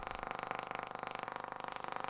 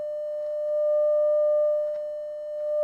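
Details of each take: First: Telefunken Operette 8 tube radio on first power-up, about 218 V, 200 mA, external long-wire antenna: rapid, even buzzing pulse about twenty ticks per second over the hiss, interference from a nearby Wi-Fi router. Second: Telefunken Operette 8 tube radio, 600 Hz 100 mV signal into the pickup input, speaker as the 5–6 ohm load, not driven to clipping: a clean, steady tone swelling in volume with no hum, buzz or crackle. The amplifier works.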